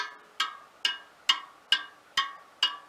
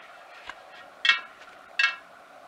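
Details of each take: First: Front wheel of a 1939 Royal Enfield 500 Model J Bullet, after truing and realigning bent wheels: steady bright spoke pings at nearly the same pitch on each side, showing equal spoke tension. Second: 1939 Royal Enfield 500 Model J Bullet wheel with mixed chrome and galvanized spokes, hand-spun against a dial gauge: a light scraping tick once per turn as the buckled rim brushes the probe, about 2 mm of vertical runout.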